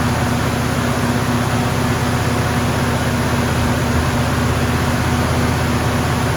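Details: 1974 AMC Javelin engine just started after valve cover gasket replacement: loud, steady fast idle with an even pulse and no misses, choke staying on because the brass heat riser fitting was not hooked up.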